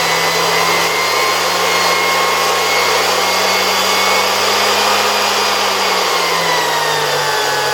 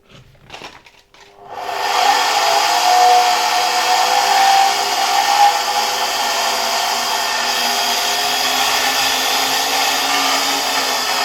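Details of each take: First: 1973 Zelmer 01A vacuum cleaner, type 34 motor removed from the housing and run at reduced voltage on a regulator: smooth steady whine easing slightly lower near the end, no rubbing or rattle; turbine no longer vibrates, rotor spins nicely; normal run. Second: Zelmer 01A vacuum cleaner from 1973, type 34 commutator motor tested removed: steady high whir with a dry rubbing friction hiss; owner suspects the turbine rubbing its housing rather than the motor bearings.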